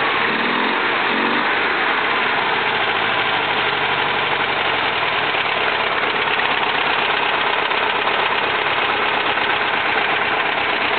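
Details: 1971 VW Type 3 Fastback flat-four, just static timed with the vacuum advance fixed: misfiring idle with an uneven, stumbling beat, seemingly on two cylinders; removing plug wires 1 and 3 changes nothing, removing 2 or 4 kills it; cause unknown.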